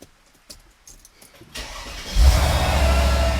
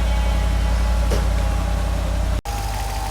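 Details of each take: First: Mercedes SL55 AMG with a newly installed AC compressor, before the AC recharge: the starter whirs briefly, then it settles into a smooth, even idle with no ticking or clinking. It is a healthy start. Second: Mercedes SL55 AMG on a lift, hood open, warming from cold at idle: loud steady tick about three to four per second, not from the top (owner first suspected a lifter) but from below; failing AC compressor, later replaced.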